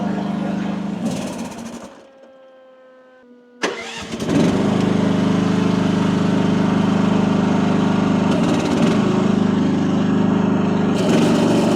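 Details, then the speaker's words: AGT WH12R 1-ton mini excavator diesel, relief backed off half a turn from about 3000 PSI, bucket working; engine sags hard, nearly dies, keeps wanting to die, then recovers: relief set too high, owner backs off further to 2600 PSI. "It just keeps wanting to die. So, uh, I think what I'm going to do is I'm going to back it off a little bit more."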